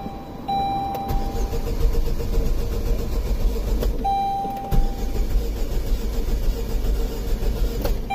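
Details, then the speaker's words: 2005 Saturn Ion 2.2L 5-speed, crank-no-start after a clutch replacement (said to have jumped timing); codes for BCM lost communication and MAP circuit; fuel pressure now present; starter cranks unevenly, some strokes lighter, never catching: uneven compression. "our compression issue showing up where it wasn't helpful seconds ago"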